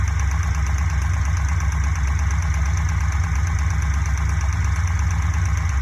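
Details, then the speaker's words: Fuel-injected Corvette V8 idling with a modified valve cover on, light steady tick about three times a second; valve train tick suspected at cylinder 3, likely the exhaust valve, from excess valve lash, to be fixed by adjusting lash. "the ticking seems to come from over here number three exhauster intake i think the exhaust one is the problem"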